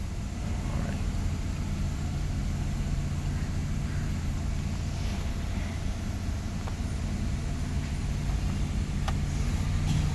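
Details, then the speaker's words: Proton Waja auto 1.6L 4G18, warm, AC on: stepper opens 60+ steps, idle stable around 850 rpm, smooth even hum, no shaking; normal. "Okey cantik. Dia buka 60 ke atas dia akan stable dekat 8 seteng. Tak ada gegar pun. Cantik."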